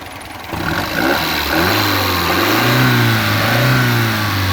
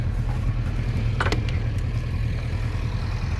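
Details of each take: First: 1967 Alfa Romeo Giulia Super with a newly installed 1600 Nord engine and original-style air box and filter; it blips cleanly from idle with a smooth rising note, no misses or knocks. It revs freely and runs smoothly. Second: 1967 Alfa Romeo Giulia Super with newly installed 1600 Nord engine, warm after a country drive; deep steady burble at idle with a slightly quick pace: fast idle needing adjustment.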